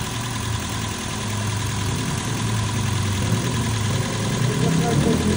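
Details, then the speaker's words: Toyota Vios after its thick oil sludge was cleaned out, first start, still warming up with the aircon off: steady, even low idle with no knocking or ticking. The earlier typewriter-like ticking is gone and the oil indicator went out. Normal, calm idle. "Ano? Tahimik na. Wala na yung typewriter. Kalmado na. Kalmado na yung andar."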